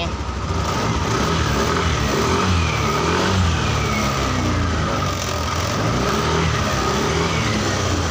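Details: Yamaha NMAX 155 that had died and would not restart, now started on a test battery with the MIL lamp staying lit: steady, even idle hum with no misfires, knocks or stumbles over street noise. Engine runs normally.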